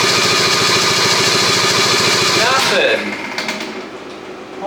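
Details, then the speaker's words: 1974 Daihatsu S38 mini truck, bought to revive, original spark plugs refitted: steady starter churning about three and a half turns per second with no catch or firing, then stops; cranks but won't start, owner suspects ignition timing. "bunch of nothing I feel like it's the timing"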